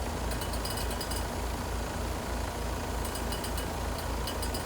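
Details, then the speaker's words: 2-ton heat pump heating, outdoor coil about 37°F, after charge low side dropping back toward 50 psi: low drone throbbing about three per second with bursts of high rattling clicks; compressor noise, tech suspects leak/low charge, unconfirmed. "And we got that noise again. Huh."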